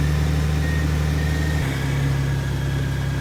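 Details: 2004 Honda Gold Wing GL1800, long stored in a shipping container, running after battery replacement: smooth, even low idle rumble with steady beat, no misses or knocks; normal idle.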